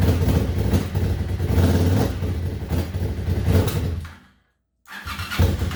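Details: 1998 Suzuki TL1000R V-twin, wrecked in 2006 and sitting since, first start after getting four non-working injectors working, with old oil and no coolant: deep lumpy rumble runs steadily, briefly cuts out, then catches again. Engine fires and runs.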